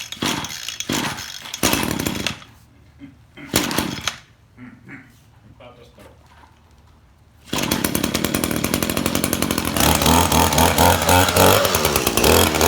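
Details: Echo stick edger given by a neighbour as a non-runner, fixed by refitting a fuel line that had come off its fitting, then primed and cold-started: after handling noise it fires up and holds a steady high-pitched two-stroke buzz without sputtering.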